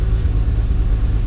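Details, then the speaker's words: Jaguar E-Type Series 1 2+2, just started cold, with the choke/fast-idle lever eased down a little: a smooth, even low rumble held at a slightly raised, steady speed. Normal fast idle; the lever can go fully down after driving or a few minutes of idling. "the car is running and you can almost immediately take this back down a little bit and and now we're pretty much um on what they call fast idle"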